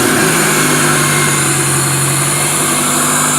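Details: 1999 Toyota Camry demolition derby car with stripped, simplified harness and temporary fuel tank: smooth, even idle with a steady hum, no knocks, misses or hunting; running cleanly.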